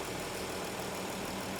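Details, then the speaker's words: 2013 Dodge Caravan 3.6 V6 at idle with code P0300: uneven, lumpy note stumbling as several cylinders misfire, with 1, 3 and 5 worst and cylinder 1 the worst. "so we are basically misfiring all over the place so we you know here's your po300 which it says is not active right now but clearly it is misfiring"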